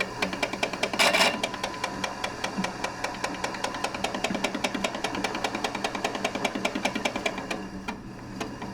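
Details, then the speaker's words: Laguna Pacifica pottery wheel bought used, after its 40-year-old fiberboard was replaced with plywood; the bearings may need fixing and the wheel head moves too much. Light scraping tick about 2.5 times a second, once per turn, as the splash pan rubs the wheel head. "definely got something impacting that splash pan I heard something"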